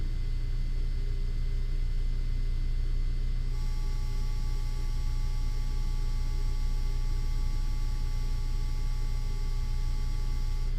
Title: Buzz noise on CGO3 on yuneec 4k